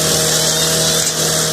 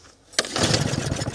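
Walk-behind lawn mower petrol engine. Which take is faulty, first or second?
second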